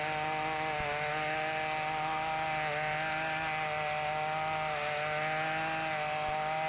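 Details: Ryobi RY253SS two-stroke trimmer, dumpster find, after carburetor replacement for a leaking carb, started at half choke; steady high-pitched buzz at even revs, no surging or misfire; engine running cleanly.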